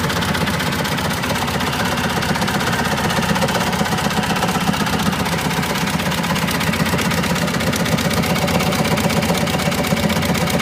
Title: Cushman Trackster grinding noise